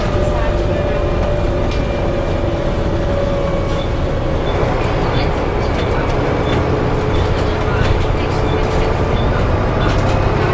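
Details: Onboard Arriva Yorkshire Alexander ALX400 bus, fleet 665 (W665 CWX), on service 410 from Leeds to Stourton: steady howl over the diesel drone and road rumble, pitch holding then shifting lower. Source unclear.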